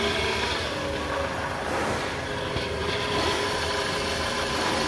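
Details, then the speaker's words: Toyota Alphard around 2010, engine fairly hot, in gear (D3): coarse gritty drone over steady hum, never smoothing; diagnosed worn balancer shaft, original untouched engine mounts, no leaks; balancer shaft set replacement. "Nah suaranya kasar ya ni kalau kita lihat juga kondisi lem dari karakternya atau silent nya ini masih bawaan pabrik jadi belum pernah bongkar Jadi emang udah bisa dipastikan problem dari balon serta kondisi mesin bagus sering tidak ada kebocoran grabshop juga aman"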